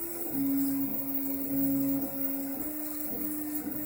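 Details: Craftbot 3D printer after replacing bearings with IGUS RJ4JP for noise reduction: clean stepper tones shifting pitch, no rattle or grinding.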